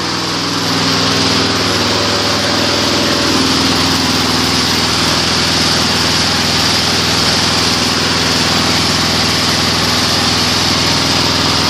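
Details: Weed Eater 22-inch front-wheel-drive mower, Briggs & Stratton engine, rescued from trash and repaired: loud steady even high-speed buzz, no surging or misfires; analyzer reads about 2450 rpm low speed, 3100 rpm high speed (max 3200); normal high idle.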